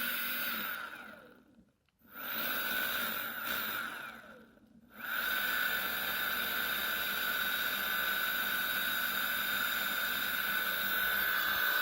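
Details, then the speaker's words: Motor after replacing all bearings except rotor base bearing (rotor tip, both pinion gear bearings, nylon gear lid and case bearings), first bench test: whine cuts out twice then steady high pitch with lower-frequency hum; abnormal motor noise, cause unknown. "so it doesn't sound quite like it did the other time it's kind of a lower frequency noise in there now"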